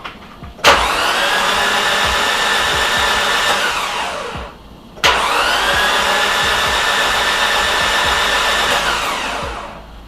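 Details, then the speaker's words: Nissan CA18DET in an S13 200SX suspected of blown head gasket, cranking: smooth even starter whir with no compression pulses on cylinder 4, unlike the other cylinders; no water found in cylinders. "I'm not hearing compression on that cylinder. Oh no!"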